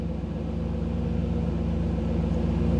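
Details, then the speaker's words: 1985 Chevrolet Camaro IROC-Z with a new TPI V8 engine build, idling smoothly at about 975 rpm while an Actron CP9690 OBD-I scan tool reads the data stream; the idle drops back to around 750 rpm when the tool stops reading. "so you could hear the difference in the idle what that is is when i dropped out of when the when i went out of the tools display when it's not getting the data stream then the idle drops back down"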